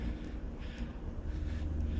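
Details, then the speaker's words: 50-ton Carrier air-cooled chiller heard from a distance, louder near an echoing wall; steady low hum with wind over it, even and quiet, no rattles or knocks; normal healthy running. "You can hear it loud here, echoing off the wall though. Yeah. See, you stand out here, it's not loud at all."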